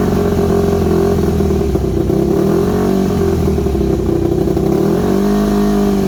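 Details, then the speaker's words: Yamaha WR250 single-cylinder with good compression, just revived: buzzy idle wavering in pitch and sagging instead of holding steady; carb needs rebuilding, owner unsure idle jet is fully unblocked, irregular idle. "you can hear it when it's running as well it's uh it's got an idle issue there I'm not too sure about that idle Jet if it's um if it's completely unblocked or not"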